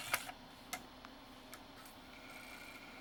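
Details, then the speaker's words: NEC-based CD-ROM drive (Intersect CDR-84) with a weak laser, running after lens cleaning and with shields refitted: light irregular clicks and ticks over a quiet hum as the head keeps hunting; servo instability. "yeah this is being weird yeah it's got a Servo issue for sure"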